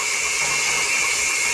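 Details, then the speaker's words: Kawasaki FX730V V-twin head rebuild: valve lapped into its seat by a cordless drill on the valve stem at low rpm, both directions; steady high gritty grinding over low drill whir, cutting a new seat as intended. "you hear that noise that's the case grinding a new Edge on the valve a new a new seat on the valves"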